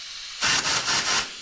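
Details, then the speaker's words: Mitsubishi Evo 7 4G63T turbo car overboosting to 28 psi, car raised, air pushed into the wastegate actuator: four quick bursts of sharp air hiss escaping straight out; wastegate actuator leaking. "let me put some air to this and you're going to see exactly what happens it's not meant to be making that noise this wastegate is completely"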